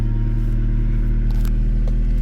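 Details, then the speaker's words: 1999 Honda Civic EK idling right after catalytic converter replacement and code clearing (P0420 persists, O2 sensors suspected): low, steady, even idle rumble, much quieter with no exhaust rasp or leak. "for sure that's a lot lot quieter way better all right so I mean so far so good"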